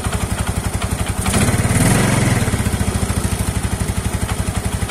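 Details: Yamaha Mio scooter with a CVT noise complaint: a loose, regular knock about four times a second over the idle that swells with throttle.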